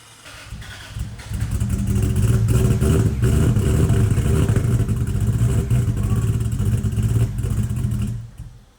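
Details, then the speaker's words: 2JZ-swapped Dodge Hellcat, first run after starter fix (fuse-box wire lacked amperage), oil pressure about 120 psi, no leaks: even, low, steady rumble with no knocks or ticks; very quiet, normal running. "This is the quietest car we've ever built. Yeah. At this shop."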